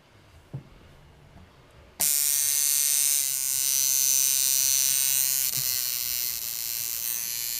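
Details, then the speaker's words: Coil tattoo liner machine with contact screw set too wide (coin-gap style), giving too big a stroke: after a click, a harsh steady high buzz; misadjusted, hits like a shader/filling machine instead of lining. "यह काम नहीं करता है, यह काम नहीं करता है। यह एक भरने की मशीन की तरह होगा।"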